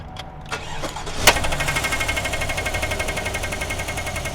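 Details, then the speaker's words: GMC 1500 gas truck, year unknown, after a loud crack at 80 mph: cranking, then a sharp intake bang as it catches and a choppy idle; one rocker is not moving to open its valve. "I heard that little clack and Turn it off. So did you hear that like bang?"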